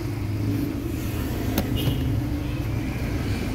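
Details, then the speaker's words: Mitsubishi Mirage with hard starting and check engine light lit, before scanning (later P0301): lumpy idle with irregular shake and missing beats. Cylinder 1 misfire. "Yun nga hard starting mga guys yan hard starting nakailaw yung check engine yung makina niya po palyado ulitin natin parang singaw"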